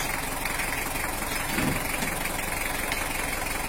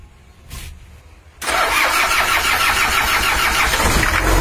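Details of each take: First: Toyota Hiace LH-11 with type-L diesel idling steadily with even, healthy clatter and no smoke, after repairing the broken injection pump bracket mount and adding an oil pressure gauge; normal diesel idle. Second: Toyota Hiace LH-11 diesel with a broken injection pump bracket hole and low oil pressure: after starting, the engine settles into a harsh, uneven idle clatter, rough running blamed on the loose injection pump.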